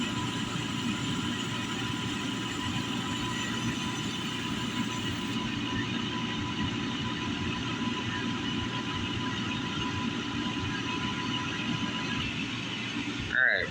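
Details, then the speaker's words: Valiant oil burner on a home furnace during service, bleeder open: steady roar with faint hiss and short sputter as air purges from the fuel line; burner fires despite remaining air. "Hear the air coming out already. Now we got to play with the aqua here a little bit. Sometimes this takes a bit to get all the air out of it. And sometimes it might even fire too."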